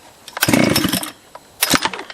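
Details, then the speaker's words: Husqvarna 281/288 chainsaw revival, first pulls on choke: two short bursts of rough two-stroke firing, each dying within half a second; carburettor empty, fuel starvation, first firing suspected on brake cleaner in the bottom end. "The carb was empty. You know what? I bet that was the brake clean down in the bottom end."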